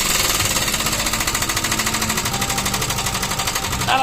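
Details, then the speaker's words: Motorstar classic motorcycle: fast, even rapping clatter of about eleven hits a second over the running engine; the old loud mechanical noise, source not pinned down. "Yung dati kasi napakaingay. Yan, ito yung dating ingay mga kamekanika."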